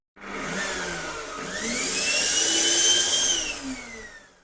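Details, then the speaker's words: Vacuum cleaner motor, repaired after it overheated with a burnt-grease smell during building wiring work (failed thermal sensor removed from circuit), run on low setting: clean steady high whine, no rattle or scraping, smooth wind-down; normal motor run. "موشک مون آماده پروازه مشکلی نداشت همه چی اوکی کار میکرد"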